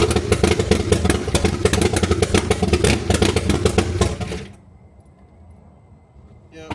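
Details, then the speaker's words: C3 Chevrolet Corvette (carb) after a stretched timing chain was replaced and oil added. It runs unevenly with a clattery, steady tick, spits white smoke from the carb, and stalls after about four seconds. Friends suspect electrical; owner now suspects head gasket. "yeah sound good when it crank up it just won't stay on"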